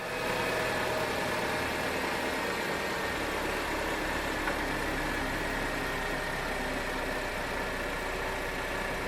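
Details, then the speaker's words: Chevrolet Captiva 2.4 16v 2012, after repair, just started, cold: steady even idle, smooth hum, no tapping or rattle; noise from before gone, though it used to appear when warm; normal idle. "o barulho que fazia antes aqui ó agora não tem mais"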